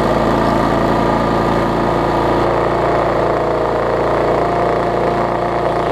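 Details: Bolens 21-inch mower, Briggs & Stratton 500 series, built April 2012, bent shaft, smoking: steady pace with a coarse, shaking drone and no smooth note; heavy vibration, sounds like internal damage.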